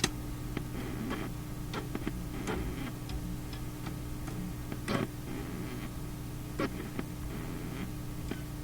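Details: Philips Sonate BA581A vacuum tube radio: low steady hum with random sharp crackles and ticks at irregular moments; intermittent crackle, source not yet isolated.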